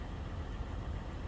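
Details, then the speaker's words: 2015 Toyota 4Runner 4.0L 1GR-FE V6, 241,000 miles, after replacing a cheap oil pressure switch that flashed the oil light at idle: steady even low rumble, no knocks, ticks or misses; light stays off, confirmed fix. Normal idle. "So I feel confident that this is a confirmed fix. I do not think it was an oil pressure issue. I think it was a cheap part issue."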